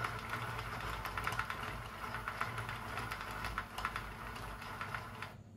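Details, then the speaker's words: Sentro knitting machine after oiling gear train with Singer machine oil: even, rapid plastic clicking as crank turns steadily, no squeak or catch; runs quieter and freely. "Bakın daha sessiz çalışmaya başladı. Ama bunu en çok ipi taktığınızda hissedeceksiniz bu farkı."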